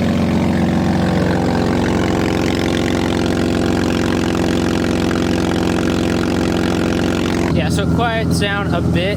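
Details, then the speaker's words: BMW E36 drift car with a rusted exhaust before the putty repair, cold idle: loud, raspy run with an uneven puffing chuff over the engine beat as exhaust escapes through rusted holes ahead of the muffler; exhaust leak. "it actually gets up to temp but driving down the road it's pretty bad we'll get some gas it sounds terrible sounds like a tractor"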